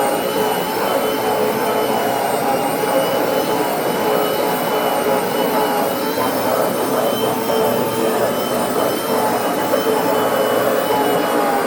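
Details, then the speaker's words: Hoover FH52110 Smart Wash carpet cleaner, 6 months old: loud constant high whine with rough grinding edge, felt as handle vibration; followed by burning smell, intermittent running, then total power loss; motor suspected dying. "okay I can actually feel a vibration in the handle when you hear that grinding sound see okay here's an update I tried to use it a little bit more and uh it just uh continue to make that kind of grindy noise"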